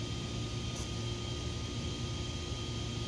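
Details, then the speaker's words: Castle Mamba Monster XL2 ESC after replacing blown external capacitors with identical ones: small fan's steady whir with a couple of constant thin tones, no wobble or rattle; ESC cooling fan healthy, ESC and cap packs not hot. "i got steering fan on my esc is working the esc is not too hot cat packs are not hot"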